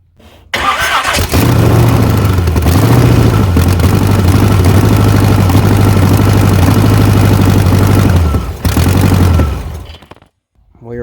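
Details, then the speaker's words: Chevy S10 Blazer, 383 small-block V8 swap, first start, header fitted backwards for now: cranks, catches, settles into a steady, even, low-rumble idle, then shuts off cleanly. Sounds healthy. "we going to see if she'll fire up and run a little bit longer"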